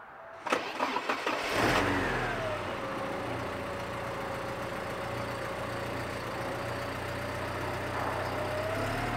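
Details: Porsche 944 engine after a new timing belt, new lifters and a restored idle screw: brief cranking, then it catches, flares up and settles into a smooth, steady idle; healthy running.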